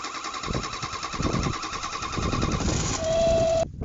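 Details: Revived Renault 4 (F4) wreck engine: rough uneven running with thin high whistle, steadying near the end; air leak suspected, source unlocated, carburetion poor, mechanically sound, revs cleanly.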